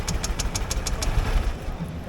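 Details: New scooter flooded after riding through floodwater, cranking on the starter while lots of water is expelled: quick sharp ticks over a low sputtering rumble, then an uneven catch; flooded engine, hard starting.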